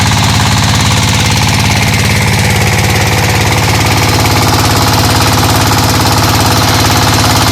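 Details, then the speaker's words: Single-cylinder diesel warming up at idle after camshaft gear timing was corrected to cure misfire and backward turning: steady, even chug about three beats a second with no misses or knocks, running cleanly. "So I give it about a minute running like this so that it heats up and also to get rid of the you know a few deposes inside the combustion chamber from the previous uh fairings."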